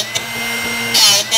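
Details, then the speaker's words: Drill Doctor 750x drill bit sharpener, owned about a year: motor whirring with short hissy grinding bursts as the bit is rotated; sharpening not yet complete while grinding continues. "just have to keep rotating it until you stop here in driving so basically here at the end and you'll hear very little grinding sounds a little bit on one side"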